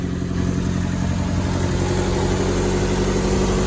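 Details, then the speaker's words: 2002 Mazda Protege5 after an epoxy repair of visible spark arcing: smooth, steady idle with no snapping of spark firing off, where it ran rough and shook before; owner considers it a temporary fix and suggests new coils. "and that thing is smooth as butter before it was running so rough everything was sit there shaking and jumping now just as smooth as can be I don't hear the spark firing"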